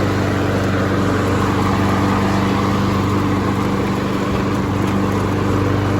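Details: Honda HRN216VKA lawn mower running on fuel for winterizing, being run until it runs dry: steady, even drone at constant speed with no misses, surges or knocks; normal smooth running.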